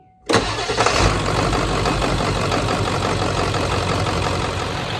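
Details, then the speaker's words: 1996 Ford F-250 4x4 7.3 Power Stroke diesel started right after an oil change: brief crank, fires right up into a steady, even idle with no knocking; oil pressure took about a minute to rise, as usual after oil changes; healthy start. "right so we fired it back up sounds good took a minute for the oil pressure to come up it always does right after oil change"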